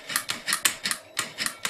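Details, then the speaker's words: Mercedes electronic throttle body on the bench, clutch coil energized: crisp click then short whirring gear movement as the throttle plate moves to idle position; normal actuation before simulating a bad clutch coil. "here we put it on you hear the click you hear the gears uh move a little bit and activate the idle position for the throttle plate"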